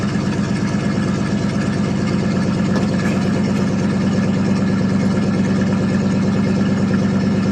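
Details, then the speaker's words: 1979 Chevrolet C10 Bonanza Big 10 with a 305 two-barrel, cold started after sitting about a month. Deep, steady burble with even pulses and no misses or knocks: normal idle. "but it is a runner and a driver though sound like a rip roaring race car"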